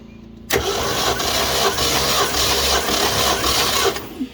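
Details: 1969 Ford F100 shortbed sat for years with no hood, during compression test (cylinders 125, 80, 60, 150; number 8 low, possible bad valve); starter spins engine at even four beats a second without firing: engine cranking.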